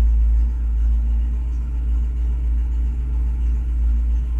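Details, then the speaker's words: 1967 Camaro V8 on first run after ACES Killshot EFI install, not yet fully warm, idling 830–870 RPM with AFR 13 and IAC 48 falling; deep, steady rumble with no hunting, misfires or ticking; normal idle. "I'm idling right now at 800 okay it luxu between 830 to 870 RPM this is exactly what I wanted"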